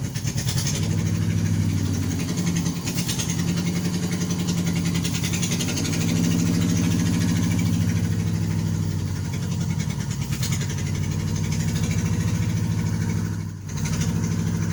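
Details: 1988 Nissan Sentra E16i started after troubleshooting its running issues, fuel pump fuse reinstalled. Fires and settles into a steady, even idle with a smooth low thrum and no misses or knocks.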